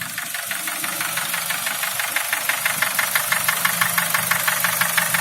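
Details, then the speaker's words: Nissan QG18DE engine, nearly at operating temperature, held near 2000 rpm: a light, even ticking about three times a second, nearly inaudible as it warms. The knock quiets above 2000 rpm and is absent under load there; cause not yet known. "Сейчас двигатель прогреется и стук по звуку уменьшится. Еще раз попробуем. То есть сейчас уже практически не слышно стука."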